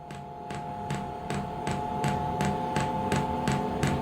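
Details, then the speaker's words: Diesel heater on a home test bed before boat installation, first start attempt: the fuel pump ticks sharply about every 0.4 seconds over a steady fan hum while priming, with fuel visibly rising but no ignition yet. "Can you hear that ticking noise? That is the fuel pump, and I can actually see the fuel being pumped up now."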